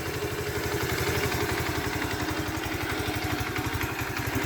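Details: Alpha Motoland Scout 110 motorcycle after replacing oil pump, piston set and cylinder head (earlier head knock despite valve adjustment, oil pump not feeding head): even single-cylinder idle thumping, light top-end clatter, no knock; idles normally.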